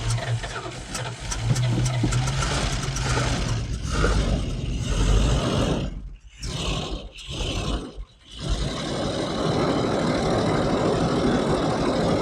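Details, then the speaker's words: 1984 Dodge D150 Prospector V8, revived after sitting about 20 years: starts, stumbles briefly and catches, then settles into a steady, even idle with no miss or knock, likely running on fresh gas mixed with old tank fuel. Normal running. "Dude, mint. How was that running for so long? I think it's running off fuel in the tank."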